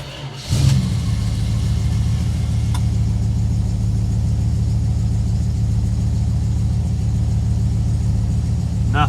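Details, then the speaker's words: Dodge Charger, 318 V8, after replacing the voltage regulator: the starter churns steadily for about nine seconds without ever catching. It cranks but won't start; the cause is not found and the owner wonders if the wires were chewed. "dang not too sure where else to look maybe the wires been chewed on huh the hunt goes on i guess"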